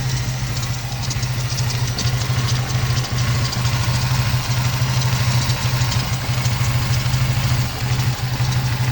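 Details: 2002 Ford Mustang 3.8 V6 automatic, after replacing PCV valve and breather hose: idle hunts and dips with brief stumbles, near stalling; owner suspects a remaining vacuum leak, unconfirmed.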